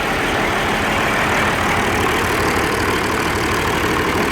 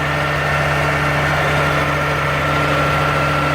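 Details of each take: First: Old Oliver 1550 diesel tractor, cold day, in neutral, after injector rebuild and valve adjustment: rough, lumpy, stumbling idle; number one energy cell stays cool versus number six, number one injector suspected, dead cylinder. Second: Oliver 1550 diesel tractor after injector rebuild and valve adjustment, nearly at operating temperature: steady, smooth idle with no misses; exhaust much clearer with slight color, considered fixed.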